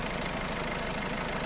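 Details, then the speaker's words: 1.6 HDi diesel, newly fitted engine just filled with oil, idling: busy metallic top-end rattle with no clear rhythm that swells and fades, sometimes disappearing; suspected timing/camshaft chain linking the two camshafts (others suggested lifters), not confirmed. "مع العلم راهو الحس هذا يقوى ويتنحى، يقوى أقوى من هكا يولي ويتنحى ساعات ما عادش نسمعوه."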